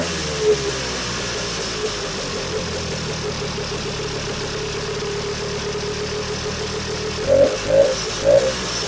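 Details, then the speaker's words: Vintage two-stroke snowmobile after a cleanup and reassembly: holds a steady buzzing idle on its own, takes three quick throttle blips and settles back; runs clean and healthy, ready to go. "Well, there. I can put the hood back together, and this one's ready to go."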